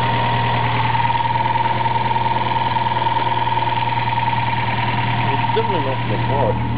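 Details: Toyota 4A-GE small-port engine with T50 gearbox, idling just after a clutch replacement: steady high-pitched whine over a regular pulse; abnormal noise, cause unknown, owner says not the water pump or alternator bearings.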